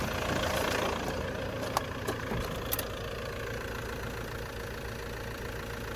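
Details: Nissan Mistral TD27 diesel after rebuilding its leaking Bosch VE injection pump, first start on jumped battery: quiet, fairly even clatter settling into a steady idle, no misfire or uneven knock; healthy.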